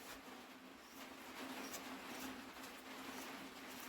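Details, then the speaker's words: Wheel Horse A81 starter motor for 8hp Briggs and Stratton, on bench after freeing seized rusty unit with WD40 and cleaning, low battery: faint smooth steady hum, no grinding or grittiness; normal free spin. "it's silent there's no crunchy trust me there's no grittiness in that it was purely just a bit seized up and now we got all the WD40"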